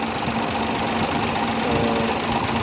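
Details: Suzuki Bolan petrol engine after fixing its problem of repeatedly stalling on petrol: fast busy mechanical chatter at an even steady idle with no stalling or dropouts; running properly.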